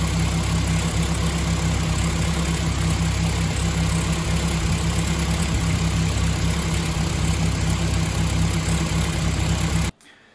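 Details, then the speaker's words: BMW M3 E30 with S14 engine: a steady but lumpy, faintly stumbling idle after the ignition and coil were replaced but before the new spark plugs arrived. Worn, oxidised plugs cause misfiring; the idle is smooth once they are replaced. "Malheureusement, les bougies n'arrivent pas de suite. Donc j'en arrive à ce résultat-là."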